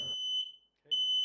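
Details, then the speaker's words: Emerald Wireless interconnected smoke alarm sounding, loud high piercing half-second beeps with short gaps; possibly false alarm, triggering unit identified by flashing red light and silenced with the hush/test button. "the first step is to identify the triggering alarm whilst all the alarms will be sounding only one will be flashing red"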